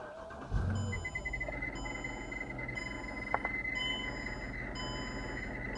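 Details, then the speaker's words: 2008 Mercedes CLS 550 idling: a thin, steady high squeal from the blower motor, passenger side below the glovebox. It rises and falls with AC fan speed and persisted after the motor was oiled once. Worn blower motor bearing. "and here I'm gonna go ahead and turn the car on so you can hear the annoying squealing sound that this old blower motor makes constantly while driving"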